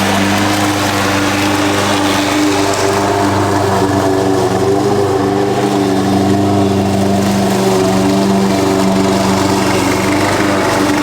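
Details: Husqvarna push mower that sat over 4 years, after a clean carb and correct oil level (Rotella T6): steady even small-engine drone, no misses, surging or knocking; a loose blade is suspected of rattling underneath.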